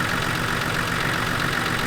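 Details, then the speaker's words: Nissan GQ Patrol TD42 turbo diesel during pump and idle adjustment: fast, steady idle with even clatter, quicker than it should sit; idle speed too high, reset to about 600 rpm. "Let me tell you where the res. I can hear it. It's too high."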